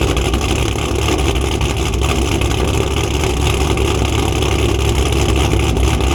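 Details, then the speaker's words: Cammed Chevrolet Camaro, cold start after coil packs were moved back and O2 sensors cleaned: choppy, lopey cam idle that stays even, with no missing beats or knocking; engine running right at this moment. "When I bring the camera out, everything seems like it's fine. It's not misfiring, it's not knocking."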